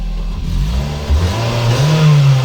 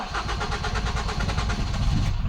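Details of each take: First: Ford Focus that started then stalled, running after the fuel pump positive feed was connected directly, bypassing a non-standard relay (alarm-related cutoff suspected): engine revs cleanly and settles to an even idle, no stumble or misfire; normal running. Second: Ford Focus that starts then stalls: ignition on and cranking, the engine barely catches and dies as the fuel pump loses power; the non-standard radio lock (immobiliser) relay is cutting pump power, with the fuel pump relay in the passenger-side block.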